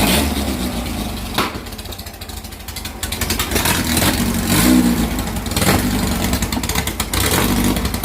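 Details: 2332cc air-cooled VW bug (Dust Buggy) after cleaning carbs and setting mixture screws: steady loping idle, picks up cleanly on a few blips, no misfire; normal idle.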